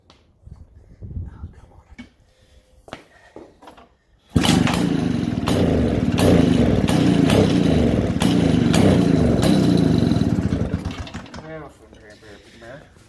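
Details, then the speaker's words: 1947 six-foot two-stroke chainsaw, cold start around 30 degrees outside, started first pull; after quiet fumbling it catches and settles into an even crackling run about seven seconds, then dies away; normal running. "so as you can see this thing is a runner because it's cold outside and it wanted to start first pull"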